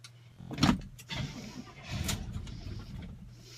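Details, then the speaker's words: Cold start of the Oldsmobile "Sweet71" after two weeks of rainy weather, recorded with the window open: uneven coughing crank, then the engine catches and settles into a rough rumbling run. Owner notes slight thumping. Sputtering cold start. "we'll give it a try so kion one two three oh it sputtered"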